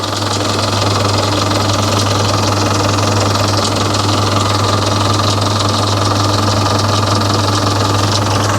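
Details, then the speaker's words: Volvo Penta KAD32 diesel in a boat with a DP290 outdrive, which runs warm at full throttle; owners suspect retarded diesel pump timing. Steady, even diesel clatter at constant speed with no misses or knocks; normal running. "that's an unusual sound sounds like an engine running looks right to me"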